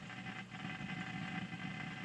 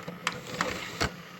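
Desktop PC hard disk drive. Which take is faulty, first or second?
first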